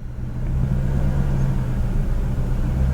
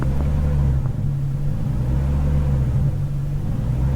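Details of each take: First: BMW E39 540i 4.4 V8 after fixing low-rpm surging, light throttle with the engine not fully up to temperature: even, low drone holding steady with only a tiny rise and fall; no more surging. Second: BMW E39 540i 4.4 V8 at low rpm with steady pedal: idle rumble surges in slow waves about every two seconds as throttle valve position wanders 1.9–2.35%, traced to a faulty throttle body.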